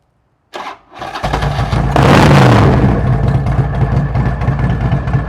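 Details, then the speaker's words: Harley-Davidson "Hulk", 75,000 miles, Twin Cam with ThunderMax tuner, at startup: catches, flares sharply toward about 5,000 rpm, then drops into a ragged sputter with no throttle response; owner suspects a failed throttle body or ECM fault. "but then once I started the bike it revved up to like 5,000 RPMs came way back down and then just started sputtering"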